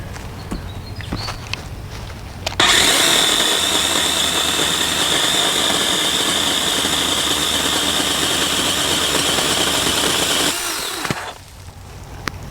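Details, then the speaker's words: DeWalt 20V XR pole saw on its first use, cutting a low, simple limb: it spins up with a steady high whine, holds an even pitch through the cut, then winds down cleanly. The cut was effortless. Normal cutting. "Wow, that was effortless."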